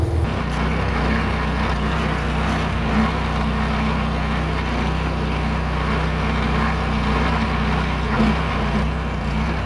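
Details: Meec SN210 plastic snowblower, small engine that previously sputtered and died unloaded: steady even drone under rushing thrown snow, no misses or surging; running normally.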